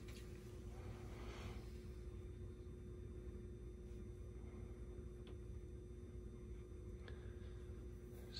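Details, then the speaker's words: Boiler circulator pump starting after a Honeywell zone valve motor opens and its end switch closes to call the boiler: quiet, steady low hum with no knocking, rattling or grinding; circulator running normally. "okay boom look at the boiler let's wait for that sta1 we hear circulator running stand by"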